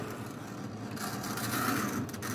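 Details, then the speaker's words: Tyco model locomotive, first run after a push start, a little dirty: steady light mechanical whir with faint buzzing rattle at even pace; sounds pretty good, runs fine. "Well, they're just a little dirty. But they run. That one sounds pretty good."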